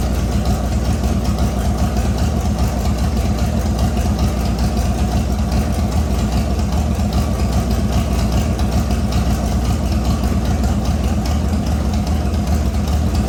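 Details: LS V8-swapped S197 on its first start after a rebuild with new crank bearings and assembly lube, no coolant yet: a deep, steady V8 idle with an even loping beat and no knocks or ticks. It sounds good, and rpm drops as the motor learns to idle.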